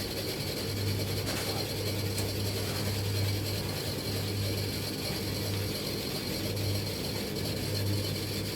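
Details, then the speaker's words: Discarded tumble dryer giving no heat, drum running; ratchety clatter about once a second under a low hum. No jockey wheel fitted; the noise seems to come from underneath at the back, cause not found. "Of course, it needs to start doing now whatever that noise is. It's not, at least it's not a jockey wheel."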